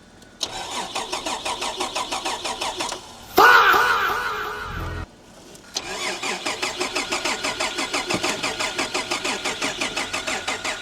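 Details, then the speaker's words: Holden VR Commodore manual with a new BCM and a new battery: steady rhythmic cranking at about three beats a second that never catches; the starter spins fine, and the owners blame a spliced-in aftermarket immobilizer. "immobilizers, bro. That's It's got to be what that little box i"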